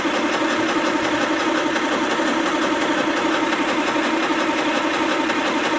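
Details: 1929 Austin Heavy 12 after magneto, dynostart and carb checks, extra fuel added to the float: uneven sputtering turnover about 85 beats a minute, coughing but not starting; fuel later seen leaking from the back of the carb.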